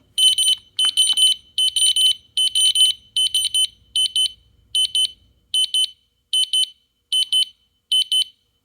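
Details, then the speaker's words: DFGJLVF wireless interlinked smoke/CO alarms, one held in test mode: loud shrill evenly spaced beep bursts, about seventy-odd per minute, as the linked units sound together; working as intended. "Um, and then we'll see if all the other ones react and make the beeping sound like this one did when I tested that one."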